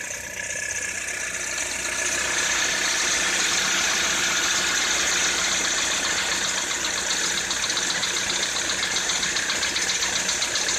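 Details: Citroën C4 2013 at idle: a fast, fairly even ticking knock of about four per second rides over the engine; engine knock, cause unclear.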